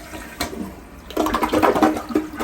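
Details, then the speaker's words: Low-flow household toilet flushed after fill valve replacement, water set about 1/4 inch below top of flush valve: short, clean, decent gurgling flush that drains and stops without hiss or running water; normal flush. "it's a pretty good flush. Not super strong, Right. but it's like decent, you know, for a Cool. for a low flow toilet."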